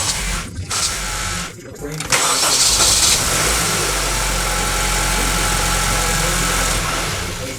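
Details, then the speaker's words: 2013-2015 Acura ILX 2.0L after starter replacement for an intermittent no-crank, no-start: brief whirring cranks, then the engine catches cleanly into a steady even idle; new starter working. "I tried it three times because three is a charm and it sounds like a starter"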